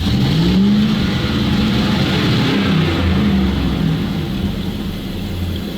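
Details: ZIL truck (ZIL-Takh) revved with gas pressed to the floor: pitch wavers and sags instead of climbing cleanly; fuel supply, filter flask or pump suspected, not confirmed; engine hesitating when revved.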